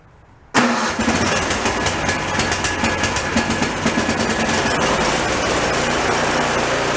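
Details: Free junk snowblower after repairing the drive linkage and spring: after a moment of quiet the engine catches at once and settles into a steady, fast small-engine run with no misses; normal start and run.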